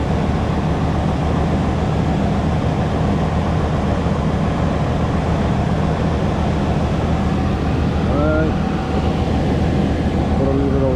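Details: Steady, even low rumble with no knocks, misses or squeals from an 88–98 Chevrolet Silverado 5.7 L V8 idling smoothly and healthy. The water pump was just replaced for a morning coolant drip, and the engine is being checked for leaks.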